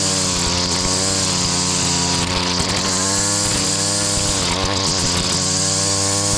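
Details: Stihl FS70R trimmer after fixing an oil-heavy fuel mix, cleaning the clogged spark arrestor and carburetor: strong even two-stroke howl holding steady while cutting overgrown vegetation, no bogging; running properly under load.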